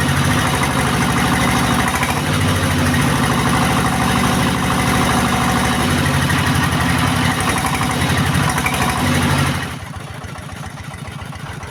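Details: S-1115 single-cylinder rice-mill diesel after rebuild with new piston: steady, even thump at relaxed idle, no knocks or rattles, smooth until shutdown.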